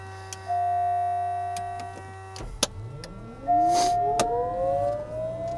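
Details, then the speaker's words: TBM 930 turboprop cold start, 5°C morning, 20-knot wind: after a click the starter spools the turbine, whine climbing steadily; at 13% Ng fuel introduced, half the igniters burning, aiming for 30% within 30 seconds. Normal start. "at this point the ng when we get to 13 which we're at we introduced fuel now it has half the igniters inside burning"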